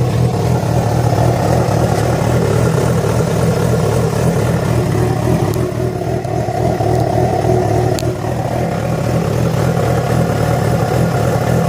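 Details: Yamaha FZ6 inline-four idling and revving with a loose, uneven clatter over the exhaust note; began after riding about 70 km on two cylinders due to a failed ignition coil connector; source not pinned down.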